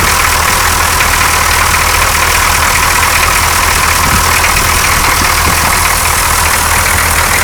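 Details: 6.2L diesel truck with rough-idle history, cold morning start after fitting a clear fuel line from filter to injection pump: line empty, starts right up, fills, steady even idle clatter with no stumbles; owner suspects the old line was the problem; normal idle.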